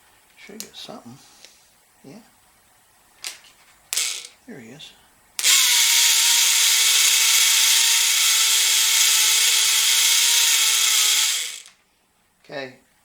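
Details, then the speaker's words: 1969 VW Beetle rebuilt generator run as a motor off a battery (clockwise): steady high whir with dry hissy scrape for six seconds; brushes rubbing, noise vanishes with springs pulled back. "uh but that noise is the brushes because i can taken i can pull the springs back and it doesn't make any noise at all"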